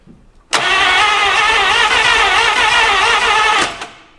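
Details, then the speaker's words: 1951/52 Buick Super abandoned for 40+ years, cranking with suspected rust in the cylinders: three seconds of fast, even cranking with hardly any compression pulse and no firing; only 30 to 60 psi in most cylinders, too low to run. "30 PSI. That's it. That's all we're building in most of the cylinders. 30 to 60, which is not enough to run."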